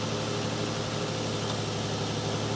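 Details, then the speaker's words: Ford Mondeo ST220 3.0, abandoned non-runner at 82,000 miles, jump-started with some petrol in the oil: steady, even idle hum with a low constant note, no knocks or misses; running smoothly. "82,000 oh that sounds nice Chris"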